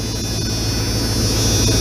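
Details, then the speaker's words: 1997 Dodge Ram 1500 after power steering refill, fluid foaming: steady idle hum with a thin, constant high whine as the pump churns air that needs to settle out; power steering pump whine from air in fluid. "You can see it'll foam it up, see? Has to kind of settle out. A lot of that noise you'll hear too, that's air kind of going through the pump."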